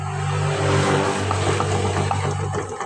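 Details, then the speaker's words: Yamaha Mio M3 scooter: steady low drone with a ringing edge from worn final-drive gears with excessive wheel play, damaged by irregular oil changes. "This is because the gear ratio in the gearbox is already worn out, because eh, the maintenance is not eh, it's not good."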